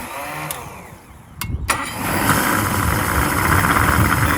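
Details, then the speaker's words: 2006 Yamaha 150 TXR two-stroke outboard after a hard run, with new fuel, hoses, bulb, filters, anti-siphon valve and plugs, cleaned carbs and about 120 compression. The primer bulb stays hard. Weak stumbling start, then rough on choke at about 800 rpm (1,000 before). Owner suspects fuel starvation or bad spark. "But it's like the RPM's really low. Let me try it again. Yeah, I mean, it doesn't even want to run."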